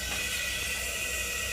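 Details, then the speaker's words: Five-year-old two-stage Trane condenser just shut off: steady high hiss over a faint low hum as refrigerant squeezes through a clogged filter drier; sweating cold liquid line, 40-degree temperature drop across the drier, indicating a restriction. "hear that? That's a refrigerant hissing through the dryer. That's how clogged it is."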